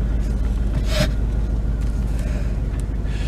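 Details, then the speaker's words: 1997 Dodge Ram 1500 ex-plow truck after crank sensor replacement, ABS and brake lights on, while driving: deep, uneven throb with a stumbling beat of about three pulses a second under road rumble; sounds like missing, cause unconfirmed. "brake pedal goes actually sounds like it's missing huh"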